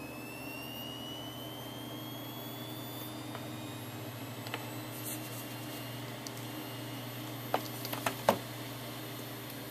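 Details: Hitachi 400 GB SATA hard drive on a USB 2.0 adapter, tested on a computer before going into a security DVR: a thin whine climbs steadily in pitch over a low hum, with a few faint clicks near the end. A healthy drive spinning up.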